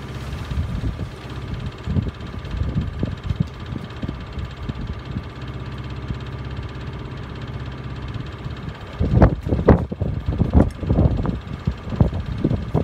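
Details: Miele W418 Honeycomb Care 5 kg washer, overloaded with bricks, spinning up to 1600 rpm: quiet hum, then bursts of heavy irregular drum knocking. Owner suspects a broken spider causing slight drum wobble; fine to about 900 rpm, noisy at 1600.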